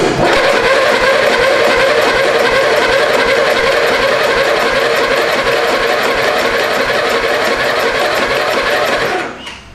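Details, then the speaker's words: Mini hotrod with a freebie 12 hp replacement engine, unknown when last run, just swapped and fuel in line: steady rapid cranking chatter about nine seconds that never fires; engine fails to start, owner suspects spark plug or coil. "good not good I guess I never did check the spark plug on this one"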